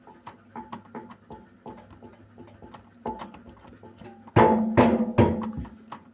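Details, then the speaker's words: Beko WMY81283LMB2 washing machine, after years of use: hollow wooden knocks as the drum is turned by hand, louder clatter near the end; the drum spider arm is slightly worn and needs replacing. "Yep. It makes sounds. It's so worse. But if I spin my hand, there's nothing wrong. But the spider is a little bit worn out. It need replacing."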